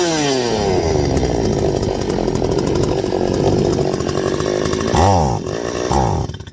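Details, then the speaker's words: Stihl 025 chainsaw screams at high revs, then the pitch sags and stumbles twice before dying off once gas sprayed around the suspected leak area dries up; bogging that points to a vacuum leak there, not yet confirmed. "You see there? Once all that gas dried up around there, it falls on his face again."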